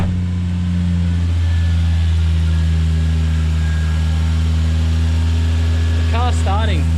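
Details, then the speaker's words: Car just started after sensor work holds a fast, steady, smooth idle with no hunting. The high idle is suspected to be from the air conditioning being on, not confirmed. "I think I have the air conditioning on, so the idle seems really high at the moment, so I'll turn my AC off."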